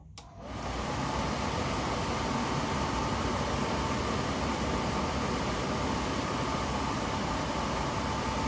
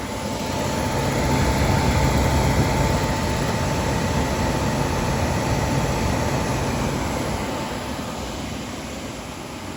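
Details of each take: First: Suburban SF-30 camper furnace bench-tested with propane in a garage after repair (owner thinks the new igniter or clearing a clog fixed it): blower spins up within a second, then a steady even rush with no clicking or rattling; lit, normal. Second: Suburban SF-30 camper furnace bench-tested on a battery with no propane connected: blower roars steadily while the igniter ticks about four times a second, sparking but nothing lights; expected without gas.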